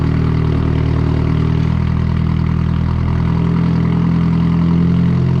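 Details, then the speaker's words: Nissan 240SX S13 KA24DE turbo drift car warming up on a cold night after earlier misfire: low steady even idle with no stumbling or missed beats; running smoothly. "All right, we got the drift car out here idling, just warming up. It's gonna be a cold night."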